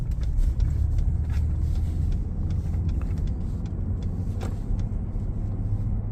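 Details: 2019 Ford F-150 Lariat 3.5 while cruising: steady low drone under road rumble, no knocks or clicks; front driveline hum, suspected IWE, 4x4 actuators or front differential, source not pinned down.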